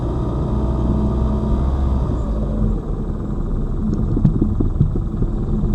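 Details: Lada Vesta Cross over bumps after shock absorber/strut replacement (right SAAZ shock under dealer warranty); recorder placed plus cabin phone; low road rumble, soft thumps, no sharp metallic knock; knocks gone after strut replacement.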